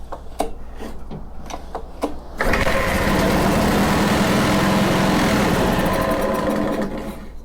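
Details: Honda HRC216 commercial mower, sat in storage, new oil, plug and filter checked, on full throttle and choke: sharp pull-cord tugs, catches on carb cleaner spray, runs ragged briefly and fades; hard starting.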